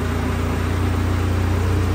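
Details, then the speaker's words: Rebuilt 2022 Vanderhall Venice GTS, after topping up oil, on its first little drive in the garage: steady low engine drone with an even pulsing beat as the drivetrain takes up drive, no clunks or grinding; normal transmission engagement. "she runs first little Drive in the garage"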